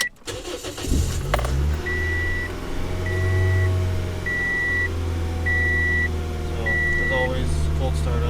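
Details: Toyota Yaris with swapped 1ZZ throttle body, first-thing-in-the-morning cold start: steady low hum held at a fast, even raised idle with a chime beeping regularly; owner notes the throttle body looks dirty.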